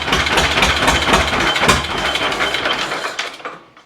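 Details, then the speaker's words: 1936 John Deere A, mostly new engine, hand-cranked for its first run in decades after timing fixes. Its twin cylinders pop slowly and evenly at about four beats a second, with no misses or knocks. Residual oil burns off as it warms; it runs well. "It runs. Sounds good."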